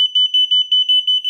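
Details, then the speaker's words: Unicycle anti-theft alarm A1: rapid high-pitched beeping, about six pulses a second, with no rider input. It false-triggers from sound interference even with the speaker removed; cause unknown. "Something's odd about A1 because even if I if I remove the speaker all together uh it still goes off um uh with the sound interference."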